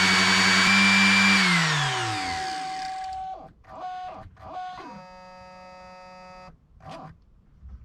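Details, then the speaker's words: Aqualisa Digital Shower pump in the loft, newly replaced after the old pump's windings failed causing loud buzzing, overheating and poor flow: strong, steady high whine spinning properly and much faster, winding down smoothly, no grinding or rattle; repaired. "so that sounds like it's spinning properly and it's spinning much faster as well"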